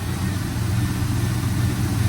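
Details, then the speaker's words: 1995 Chevy Silverado 1500 extended cab flareside at auction, which appears to have been gone through mechanically; exhaust heard on a walk-around at idle: deep, steady, even V8 rumble with no knocks, misses or ticks, sounding really good; normal idle. "Let's do a little walk around, see how this exhaust sounds. Oh yeah. Just wanted to take a minute to really let that sound marinate. She sounds good, guys. She sounds really good."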